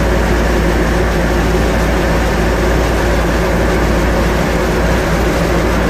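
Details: Restored 1957 Chevy Bel Air V8, 5000 miles since restoration, just after oil, transmission and differential fluid change: catches and settles into a deep, steady rumble, even firing, no knocks or misses; normal idle.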